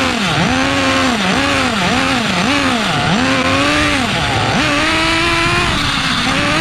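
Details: Restored rusty 2006 OFNA Mutillator nitro RC buggy, primed and first fired, idle being tuned: small nitro engine surging up and down unevenly, blubbery rather than crisp; running too rich.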